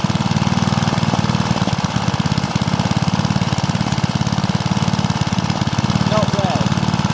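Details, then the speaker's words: Suffolk small engine running on E5 petrol: a steady, even single-cylinder putter at constant speed with no misses or hunting. It runs smoothly. "It's running on E5 petrol, very nice."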